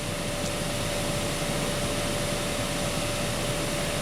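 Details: 2012 Honda Accord Special Edition blower motor at full blast, drawing a steady 15.5–15.6 A (normal range roughly 11–20 A): smooth, steady rush of air with a faint even hum, no rubbing or ticking. Normal blower operation.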